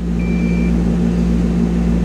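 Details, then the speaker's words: Ford Probe from Copart, 114,646 miles, cold early-morning start before a road trip: steady low hum at an even idle with no knocks or misses; engine sounds healthy, though the front end is a little creaky. "114,646 miles on the clock. She sounds good. Oh boy, she does."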